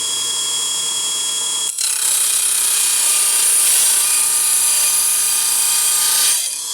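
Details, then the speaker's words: Cheap mini table saw with a roughly 3-4 inch blade, voltage dropped to 18 volts, cutting the thinner piece of wood: steady high-pitched motor hum, quieter and slower, cutting smoothly without rattles or bogging; still cuts very well at reduced speed. "but still Cuts very well that's good"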